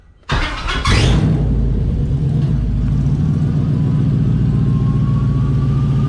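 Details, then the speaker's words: 1988 Firebird with swapped 5.3 LS V8, run the day after first start for more run time: after suspected lifter tapping, solid oil pressure now and steady even idle with no clicking or tapping; normal idle, no lifter tick. "see now I don't hear that clicking noise anymore that tapping [Music] noise"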